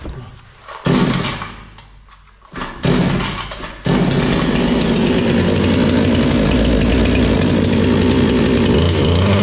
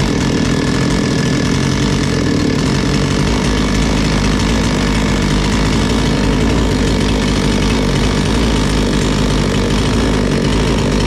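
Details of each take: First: Bolat 5820 chainsaw pulled over a few times: catches, runs a while, then sags and stalls right away; it ran normally again after cleaning. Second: Bolat 5820 petrol chainsaw that kept stalling, running steady and even with one quick throttle change after its dust-clogged air filter was cleaned; engine back to normal.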